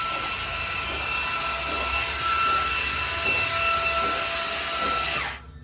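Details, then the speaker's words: New 500ci big-block Mopar 440 in a 1969 Barracuda, first start, cranking only to build oil pressure before firing: steady, unhurried starter churn, no firing; cranking slowly, battery on charger. "But for now, we're just cranking. You got oil pressure? It doesn't, it's not cranking very fast."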